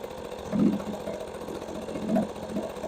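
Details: Two-stroke outboard, first run of the season after a failed start: a quiet, even putter with only soft swells and no misses or knocks, running normally. It spits a slight mist when revved.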